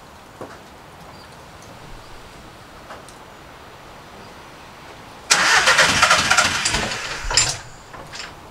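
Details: VW Caddy diesel van, injector codes just coded in via the ECU: starter churns about two seconds in one burst and never catches; fault code then showed injector one still lacking power.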